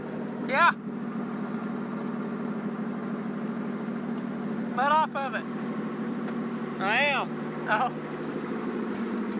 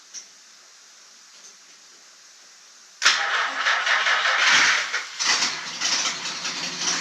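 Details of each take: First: 1949 Chrysler, sat 60 years, after starter solenoid repair: steady low drone at a fast, even idle with chirps on top; idle too high, carburetor needs rebuilding. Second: 1949 Chrysler that sat 60 years, after the starter solenoid was repaired and gas was splashed into it: the starter cranks and the engine catches and runs. Revs are uneven, from a fuel-starved start.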